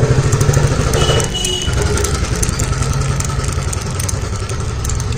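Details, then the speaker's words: Hero motorcycle with new genuine original chain kit running: loose, uneven clatter from the chain drive over the low engine beat; chain already swapped, sprocket to be changed next. "Original chain kit में भी ये problem आ रहा है, ये आवाज़ कर रहा है।"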